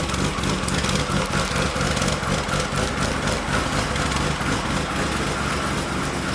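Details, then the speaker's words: R32 GTR with a built RB26, fully ported/polished head, 260 Tomei cams and a loud new exhaust with resonator: loud, choppy, lumpy idle pulsing about four times a second, rotary-like; owner sometimes suspects an exhaust leak. "in general exhausts tend to be way louder with cams because the valves are being opened up a lot more the exhaust valves specifically that's what you hear so especially with the ported head so it should be a very good sounding RV"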